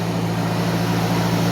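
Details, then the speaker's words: 1991 Mercedes 190E just after lifter (compensator) replacement, started before the lifters had fully filled with oil: smooth, steady idle with no valvetrain ticking. "no noise not even properly filled up lifters"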